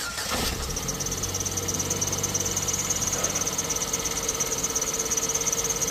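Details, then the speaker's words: Ford Figo petrol/CNG just started after head valve work for misfire: idles smoothly with a thin, steady high chirping squeak from the drive belt, checked with water from a bottle. "आवाज कर रहा है कोई चीजी चीजी की थोड़ा पानी ले आना बोतल में बेल्ट आवाज कर रहा भाई"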